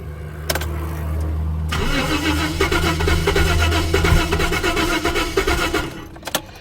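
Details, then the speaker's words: 1988 Jaguar XJ6 (XJ40) whose fuel tank filled with water: after priming the fuel rail, the starter spins the engine in a steady rhythmic churn for several seconds with no firing; cranks but won't start, owner suspects water-damaged injectors are stuffed. "no I think those injectors are stuffed"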